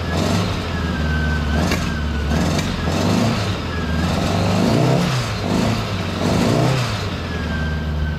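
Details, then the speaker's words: 1975 Honda Goldwing flat-four, cold, started right after installing Dynatek electronic ignition with new coils (owner reported hard starting); catches immediately, runs evenly, clean throttle blips, no misfire, healthy. "I'll show you so it's just ran for a minute or two but uh anyway here we go it starts immediately"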